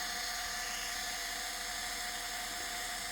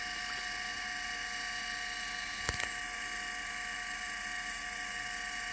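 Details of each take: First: Litter-Robot 3 drive motor gearbox, unit open and unloaded: high steady whir with a thin chattering rattle-squeal from dry shafts under the first and second reduction gears, disappears under load; fix is removing the second reduction gear and lubricating the shafts. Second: Litter Robot 3 drive motor after greasing dry first and second reduction gear shafts, run disconnected from the unit: steady even gear whine, no chatter; this gear noise is normal.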